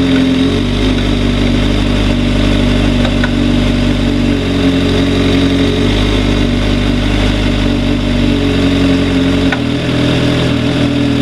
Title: 2004 GSXR 600 engine knocking.